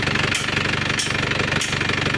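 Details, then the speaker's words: Isuzu Panther turbo diesel pickup after restoration, injection pump timing reset to standard and turbo replaced: harsh, uneven clatter at idle with a hiss about every half second; rough running blamed on a faulty one-way valve, replacement recommended. "terus suara agak kasar ini ada masalah di valbnya Val oneway-nya ini kelihatan"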